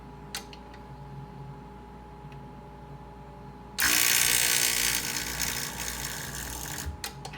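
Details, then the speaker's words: Breville 800ESXL espresso machine with new ULKA EFP5 120 V vibratory pump, purging air from the lines: loud steady buzz kicks in as water is drawn through; priming normally. "And I'm just going to try to get the air out of the lines here. There we go. You can almost hear it now about to come through."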